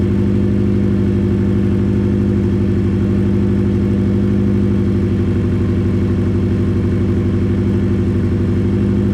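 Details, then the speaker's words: Subaru Impreza engine warmed up to temperature and idling with no exhaust fitted, after refitting the gearbox: a deep, even, unmuffled pulsing idle with no knock or rattle; the knocking had earlier been suspected, and the engine now runs normally. "now it's got up to temperature it does sound nice it's purely nice i'm not going to give it no revs yet i'm going to give it about four or five minutes to let it take over nicely"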